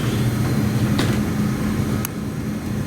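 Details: 1954 Mayflower oil-fired forced hot air furnace, last serviced 2012, new oil line and tank: steady, even burner hum with no scraping or rattle; the oil burner motor runs smoothly.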